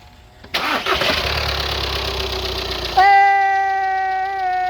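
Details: 2013 VW Passat TDI first start after timing belt replacement, locking tools removed; cranks about two seconds, fires cleanly and settles into a smooth steady idle with a faint even whine: normal start.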